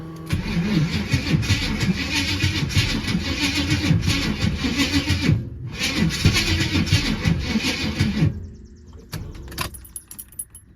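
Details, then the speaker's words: G-body Buick Regal cranking with fuel pump on: long stretches of even cranking with a short pause, never catches; carburetor visibly pouring far too much fuel, flooding the engine. "It's just pouring fuel. It is, that is way too much fuel, dog. That is way too much. Let's see if it'll fire it up though."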